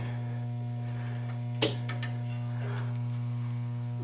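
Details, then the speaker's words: Williams Flash pinball sound board: a loud, unbroken low 60/120 Hz mains hum with one brief click, caused by the transformer centre tap being grounded wrongly. "okay now if you do just this negative to this negative of course you get 60 60 Cycle so 60 cycle hum 120 cycle hum you get that hum okay um so yeah that's that's the Noise"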